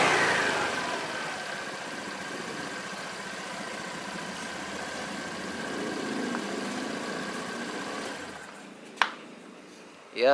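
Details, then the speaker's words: Honda Beat scooter CVT after the dirty, worn rear pulley bearings were replaced: it spins down smoothly with a light steady whir and normal belt noise; the droning hum on throttle release is essentially gone. "Suaranya yang apa ya berdengung itu udah nggak ada ya"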